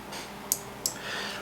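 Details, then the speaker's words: Breadboard dark-activated streetlight circuit tested on DC: the relay gives three crisp clicks, energizing cleanly when the LDR is shaded and the transistor is biased. Relay and control are working normally. "so everything is okay our control is okay you can hear the clicks the clicking sound it shows that once the once there is Shadow over the in the ldr the the transistor is bias and the relay is energized"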